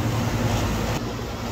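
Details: Home air conditioner whose compressor would not start, now running: a steady low mains-frequency hum settles in as the compressor runs, with the air now cold. Normal compressor running.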